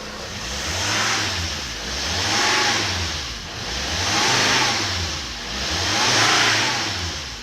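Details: Volvo S80 D5 diesel after EGR delete with a blanking plate and MAF clean: repeated throttle blips, revs rising and falling smoothly, free-revving with no smoke. A worn, drumming alternator clutch pulley is also noted.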